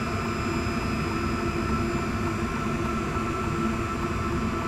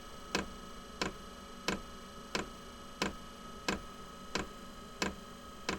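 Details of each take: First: Inexpensive diesel heater for a small workshop shed running on high after first burn-off: steady, even fan roar with constant low hum, no knocks or surging; earlier fuel pump ticking now faint and much reduced; normal running. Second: Inexpensive diesel heater being set up to heat a small shed/workshop, during priming and initial startup with fan running: loud, evenly spaced ticking (about 1.5 per second) over a faint hum as the fuel dosing pump primes; ticking reportedly stops after startup.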